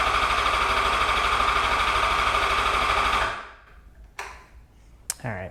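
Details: 2008 Yamaha FZ1 after oil/water pump and clutch replacement, final priming crank with a connector disconnected so no start: fast even starter churn about three beats a second for three seconds; strong cranking, good battery, oil level stable.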